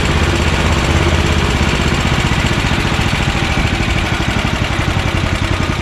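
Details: Honda GX340 single-cylinder in EZGO Workhorse golf cart repower, after verifying key start and kill switch shutoff: steady low thumping beat holding even rhythm, no misses or knocks. Normal idle.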